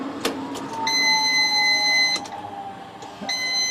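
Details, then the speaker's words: 1994 Nissan Sil80 being restored, first start attempt after long layoff: fuel pump priming with new filter, steady high hum running about a second, stopping, restarting, pressurizing lines to 4 bar while checking for leaks; normal fuel pump priming. "Hear the fuel pump going. Sounds good. Just going to pressurize those up to full 4 bar."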